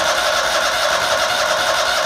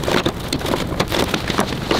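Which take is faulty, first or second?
second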